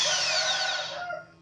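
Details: Wood planer that had vibrated heavily and run very loud, tested after a cracked part was repaired. High motor whine spins down smoothly and evenly with no rattle or shaking: the planer runs normally again.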